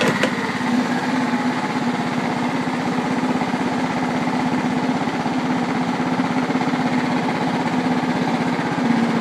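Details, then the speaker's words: John Deere STX38 lawn tractor, single-cylinder engine running at a steady, even putter with no misses or knocks; it starts well with no smoke and sounds healthy, though the mower deck is worn out. "thing runs really good, no smoke, starts really good."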